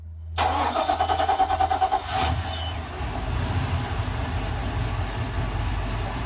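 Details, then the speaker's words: Boat start after new spark plugs: brief cranking of about eight turns catches in under two seconds, versus three to five seconds before, and settles to an even idle. The hard start is fixed. "there was less than two seconds I honestly I did improved 100%"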